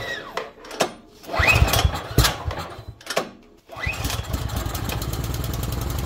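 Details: Cub Cadet snow thrower test run after three primer pumps. A few rough pulls and sputters, then the small engine catches and holds a steady, even chug with no misses: normal running.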